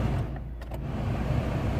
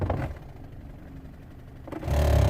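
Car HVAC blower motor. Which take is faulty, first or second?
second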